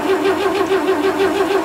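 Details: 1940s barn-find Chevrolet truck with a gas straight-six. Steady rhythmic cranking at roughly four to five beats a second, with no firing or catch: it turns over but won't start. The owner suspects a bad coil and no spark.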